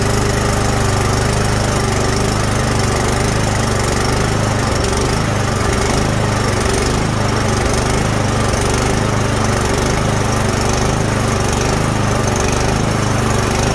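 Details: Snowblower that wouldn't start after sitting all summer: steady, even petrol engine drone with no misses, knocks or surging; it runs smoothly at a constant speed.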